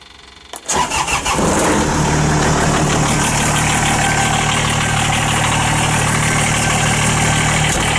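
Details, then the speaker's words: 2014 Kubota BX2670 tractor with a heated cab, a 26hp 3-cylinder diesel with a block heater and a known front oil leak, starting after glow plugs with the engine already started earlier: quick crank, clean catch, then a steady, even idle clatter, noisy in the cab. Normal. "So 26 horsepower, 3-cylinder Kubota. I will say it's a bit noisy in the cab."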